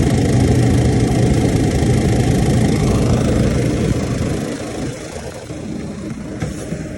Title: KAIRAK TABLE TOP MAKING NOISE.